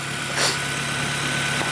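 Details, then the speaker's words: First start after reinstalling the engine and transmission: even, steady idle slightly on the fast side, no ticking or knocking; engine running cleanly, normal idle. "But yeah, thing sounds good. It's running."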